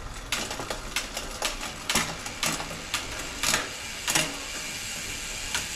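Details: 2023 Santa Cruz Megatower after full rocker and link bearing service and drivetrain adjustment: crisp, uneven bursts of sharp dry rear-hub ratchet clicks with no grinding or roughness underneath; clean, normal freehub sound.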